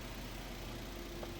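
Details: 2011 Toyota Corolla 1.3 manual idling warm at 78° after repairs, with AC running: short, quiet, steady idle hum with no stumble or surge; engine ticking over smoothly and healthy.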